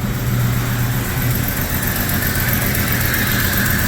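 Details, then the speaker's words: 1996 Jeep Cherokee after timing chain failure, new timing chain and harmonic balancer, distributor turned 180° on second start: steady smooth idle, no knocks or ticks, no longer vibrating, no check engine light. "and Hey look it's not vibrating like crazy come on sounds like it's happy again"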